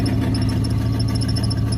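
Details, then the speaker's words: Carbureted truck that lost its prime, running after start with a steady high squeal over it as the starter stays engaged. It keeps cranking after key-off until shifted into gear with the brake held hard. Brand-new solenoid, built for a 93 model, suspected; owner plans an 87-type. "You just shut the key off and it'll just keep on cranking. Shove the thing in gear and hold down on the brake real hard, it'll kick it out."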